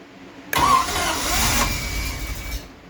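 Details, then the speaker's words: 1974 TR6 during rebuild, first start attempt with vacuum lines plugged: starter cranks, then about two seconds of ragged, uneven firing before it dies. Rough firing while cranking; timing adjusted afterwards, oil pressure good. "all right she's getting the least she's firing a bit probably has a go play around with this a bit"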